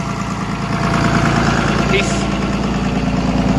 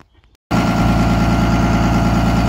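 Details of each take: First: 24-valve diesel after injection pump redo, pin-timed plus a couple degrees advance: steady idle with even knock about three times a second, off its usual speed (said to run 1000 before); needs idle adjustment, runs better than before, slightly smoky. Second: Diesel 24-valve with P-pump, just restarted after pin-timing and advancing a couple of degrees: after a brief pause it catches and settles into a steady, even idle with regular clatter and no misses. Runs better than last week, slightly smoky; still needs an idle adjustment.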